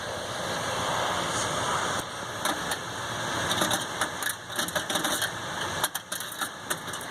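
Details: Hayward H100ID gas pool heater running: a steady rushing roar with irregular gritty scraping and crackling grinding bursts on top; the cause is unknown.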